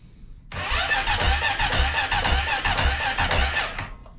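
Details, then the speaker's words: Early Honda Rancher 420 ATV, not run in a while, cranked after the fuel pump is cycled: starter drags slowly in uneven pulses, about two a second, and never catches; owner suspects a weak battery and swaps in another. "not 100% sure we got enough juice in this battery yeah that thing is pretty weak"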